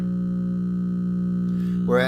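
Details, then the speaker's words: Old Zenith tube radio checked after a move, at 106 volts: steady low buzzy hum stays constant even with volume all the way down, mains hum bleeding into audio; owner thinks a capacitor went kapoof, not confirmed. "But I'm thinking it's a capacitor that went kapoof."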